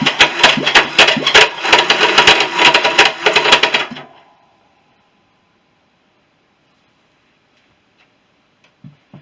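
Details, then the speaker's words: Honda CB350 after engine rebuild, compression test on right-hand cylinder with a weak electric starter: four seconds of slow even cranking under three beats a second; reads 120, expected about 170; low compression on one cylinder. "It's a bit disappointing. Getting 120, should be getting more than that. Should be getting somewhere around 170, I think."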